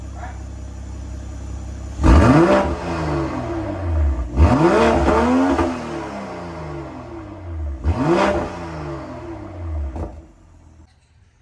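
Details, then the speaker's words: 2022 BMW M240i B58, warmed up after an MST downpipe install with both O2 sensors reconnected. Three clean blips climb quickly and fall back smoothly to idle, with no pops or rattles. No check engine light; normal free revving. "install is done. Sounds great. No check engine light on."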